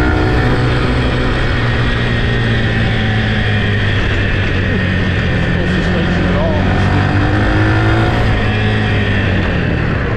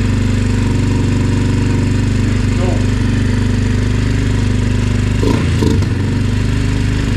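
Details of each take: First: Yamaha TT-R 125 single on a test ride: pulls smoothly through the revs, clean steady tone, no stumbling or misfire; runs good, clutch good, brakes work, may need front pads. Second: Yamaha TT-R 125 single-cylinder on choke, fuel smelling varnished, air filter not mounted: loud steady thump stuck at one low speed. It idles but won't rev, won't idle once warm, and the carburetor needs taking apart.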